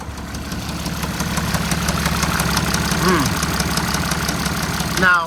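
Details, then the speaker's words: Duramax diesel High Country truck listed as no-start, jump-started: steady idle with dull uneven knock about twice a second over the diesel clatter, no smoke; internal knock, cause unclear. "oh it's not happy though oh it's really not happy it sounds like it's knocking"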